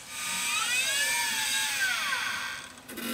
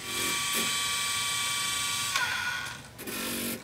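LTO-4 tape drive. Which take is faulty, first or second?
first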